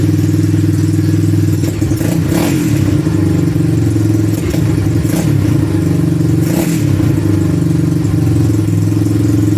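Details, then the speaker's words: 1986 Honda ATC200X three-wheeler with a louder-than-stock exhaust: single cylinder thumps steadily, picks up cleanly on quick blips and settles back; normal running, just loud. "Sounds good with that exhaust, man. Sounds all right. Little loud for a 200X, but you know, all bark and n"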